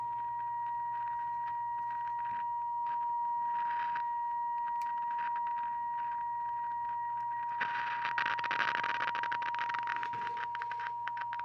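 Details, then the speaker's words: 1952 Coronado 8515A AM/FM table radio with weak reception: steady test tone breaks into crackles and scratchy bursts when IF tubes are wiggled; suspected faulty silver mica capacitors in the IF stage. "Alright, so there's my test signal there. Sounds like we do have some silver mica. No bueno."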